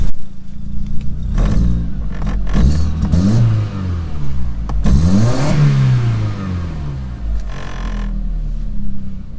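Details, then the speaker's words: Audi S3 with the turbo not working, MAP sensor reconnected: throttle blips give an uneven, stumbling note with choppy dips, misfiring and running rough. Not the MAP sensor; spark plugs already ruled out. "it's running a bit rough to be honest"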